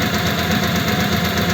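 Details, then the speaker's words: Old French flathead engine in a 1941 pickup, just started: steady thin whine over fresh idle, tied to engine speed, from mismatched cam and crank timing gears since one gear was changed; owner expects it may improve. "and that is a wine that you get with a mismatched Cam and crank gear because I had to change the gear before in this engine actually"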